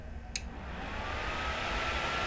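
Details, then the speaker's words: Gamdias Astrape P1 750G 80plus Gold power supply with its silent switch turned off, system idling at about 38–40 W: switch click, then steady rushing fan air within a second, smooth with no rattle or bearing whine; fan normal at full speed. "So if we turn off the silent switch, you guys will hear the power supply noise."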